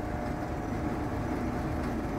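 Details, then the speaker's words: Vintage Sears Homart belt-drive window fan with a 1/6 HP Craftsman motor, on low speed: a steady hum with a light loose rattle. The owner suspects the motor and shaft need lubrication and the original worn belt needs replacing. "a little rattley yeah i probably definitely could use some lubrication"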